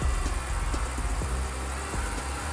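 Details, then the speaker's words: Porsche 944 after cooling system refill and bleeding, running about 30 minutes, at operating temperature with fan on: steady low idle, no misses, knocks or rattles, even hum, clear exhaust; engine healthy. "as you can hear she's alive she's now at temperature the fan is on and the coolant has circulated and all the air is out of the city system so she is running lovely"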